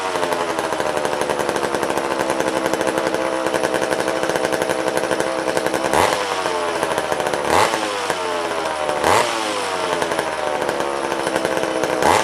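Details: Old vintage McCulloch chainsaw restarted after long storage: buzzy two-stroke running fast, metallic rattle, sharp revs about every second; owner suspects the clutch hitting the clutch cover.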